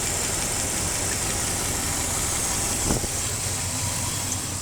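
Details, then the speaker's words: 1998 Dodge Ram 318 V8 after fuel pump, pushrod, crank position sensor replacement and rocker check: smooth, even idle with a light steady valvetrain tick, no knocks or misses, running healthy and fixed. "Cranked it up and everything is a okay. But man, my baby's doing good now."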